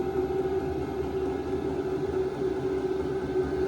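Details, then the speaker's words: VEVOR 8K diesel heater in an enclosed tool trailer, cranked to maximum level 10. Steady, even mid-pitched hum with constant blower rush and no surging or knocking; healthy at full output. "There it is, level 10. Let's see what it can do. Let's see what this baby can do. There she is. She's humming now."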